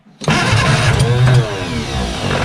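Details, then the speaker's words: Barn-find bug-eye Austin-Healey Sprite stored 30-40 years, first start after starter rebuild and new spark plugs, carburetors filled, chokes held: brief crank, fires and catches, revs then rough uneven idle; it runs. "well it runs"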